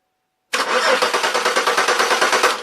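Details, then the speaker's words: Chevy Malibu cranks with about seven even compression pulses a second but never fires; fuel present, no spark, crank sensor suspected, not confirmed. "that crank sensor I don't like it no definitely I get no fire getting fuel I get I got fuel up here"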